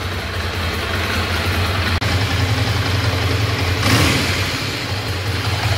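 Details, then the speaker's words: Ducati Monster 696 with a new Yuasa battery fitted without charging, started first try; steady, even idle thump with no misses, brief blip midway. Earlier battery trouble was actually traced to a faulty rectifier. "pegou de primeira não dei carga na bateria"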